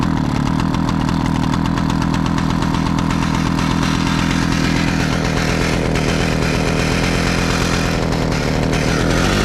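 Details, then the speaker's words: 60-year-old Husqvarna 65 chainsaw, first real start after carburetor and fuel line repair: loud ragged two-stroke running with uneven metallic clatter as something launched out; the flywheel had shattered. "Something launched out from somewhere oh my - this doesn’t sound good at all"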